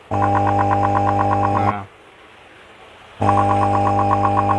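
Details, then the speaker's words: Resun LP-series linear aerator pump, weak output, run with cover removed: loud harsh electric buzz in steady bursts, louder because open; torn rubber diaphragm found as cause. "Nah, ini suaranya keras karena ini dibuka. Ya, ini sistem kerjanya seperti ini teman-teman. Jadi magnetnya itu seperti itu ya. Nah, ini terlalu keras soalnya covernya dibuka ya. Karetnya itu sobek ya teman-teman, karetnya ada di sini."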